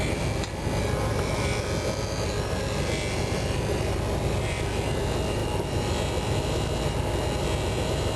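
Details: Carbureted RV with rebuilt carb, idling after a leaking fuel line: steady even low rumble, no misses or knocks; owner notes the fuel pump sounds different and suspects a leaking clamp dripping at the pump.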